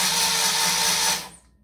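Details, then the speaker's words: Starter cranking a 1973 Moto Guzzi Eldorado during rewiring, with no spark plug wires connected so it cannot start: a steady, even electric whir for just over a second that stops cleanly, the engine turning over freely; normal cranking, battery dropping to about 11.3 V. "well it's not going to start because I don't have anything hooked I don't have spark plug wires or anything like that but let's see if it turns over"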